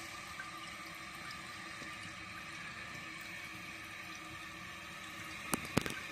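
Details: Newly installed Project Source Pro toilet, replacing an old leaking one: steady hiss of water running into the tank with a faint gurgle, no dripping or spraying; normal refill.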